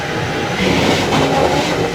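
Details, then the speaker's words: Vehicle on the lift run at about 50-60 mph: steady coarse grinding roar from the rear differential, also heard loudly inside the cabin; bad rear differential. "It's coming out of this diff. Yeah. That's what we're hearing, that grinding noise."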